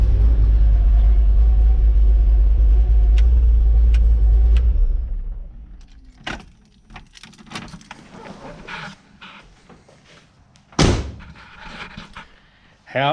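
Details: Holden XG ute (VCM 13 cam, CNC-ported heads, standard pushrods, soft lifters) on fresh oil, first start after the head and cam install: deep, even rumble at idle and revving for about five seconds before shutdown, no knocks or ticks, running clean and healthy.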